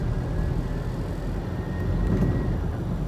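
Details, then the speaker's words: Car braking after refitting the loose brake pad retaining clip/washer on the caliper bracket, which had caused loud rapid clacking only when braking: now only steady road rumble while slowing, with no clack or vibration. Braking is quiet and normal. "เบรคไม่มีเสียงเลยเนี่ยฮะดูตรงนี้ได้ครับไม่ไม่มีเสียงสะเทือนอะไรทั้งนั้นนะครับ"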